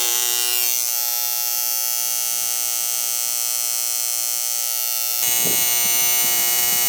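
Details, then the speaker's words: AC condenser during annual service: a constant bright electrical buzz with a steady high whine. The contactor is humming; the capacitor read 40/40 instead of 40/5, and both were replaced. "He's a Hummer."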